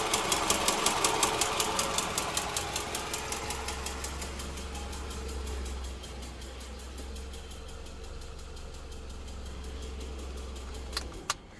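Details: Toyota Estima with 2AZ engine at idle: sharp regular ticking near 160 a minute over a quiet idle, strongest at first then fading; engine knock caused by factory-defective spark plugs.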